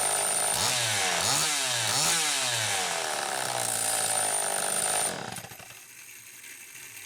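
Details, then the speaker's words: Homelite Super EZ chainsaw after repair (no-spark fault fixed by baking the coil), started with a drill via the decompression valve: crisp two-stroke revs cleanly three times, holds a steady wide-open scream, then shuts off; runs well. "here it's wide open at whatever rpm it happens to be running at so sounds like it's running pretty damn good"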